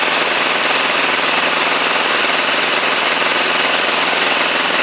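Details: Chinese 418cc single-cylinder diesel, first run, temporarily mounted on a snow thrower at 30°F: harsh clattery rattle on acceleration from low rpm; owner unsure of cause, considers checking valve clearance or break-in.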